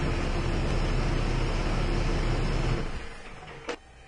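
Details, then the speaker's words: 2002 GMC Jimmy with an intermittent no-start, on a recharged weak battery: the engine starts, runs steadily under three seconds, then suddenly dies. The start-short-run-stall is traced to an intermittent open in the crank sensor reference wire. "wow and it just died I don't even know what to say about that either"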